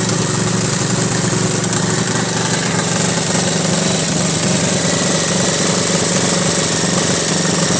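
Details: 1983 Honda Goldwing Aspencade project bike, engine running for the first time after revival, started on full choke; uneven lumpy running with irregular pulses and wavering beat under steady hiss, rough, misfiring or badly tuned; needs tuning.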